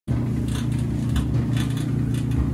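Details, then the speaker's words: Kenmore 800 clothes dryer running: low steady hum with a rough, fluttering rattle from the failing blower fan, fixed by replacing the blower fan. "so can you hear that noise that noise is coming from the blower fan on the dryer"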